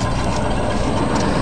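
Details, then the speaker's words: A rebuilt 1965 Ford 352 V8 in a wagon gives a deep, even exhaust burble at idle with no ticks or misses; the owner says it sounds good and will be better with glass packs. A healthy idle. "it's um doing engine work exhaust sounds good listen to that boys oh yeah this s better when I get glass packs on it"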